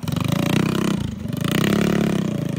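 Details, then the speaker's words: Predator 212cc single-cylinder minibike engine with stage 5 head, 310 cam and billet parts, first start on pull one with choke on, in freezing snowy weather, not yet broken in: quick lumpy putter settling into a steady idle; healthy, no knocking. "It's alive. It even idles. See how it does in the snow. It sounds so good."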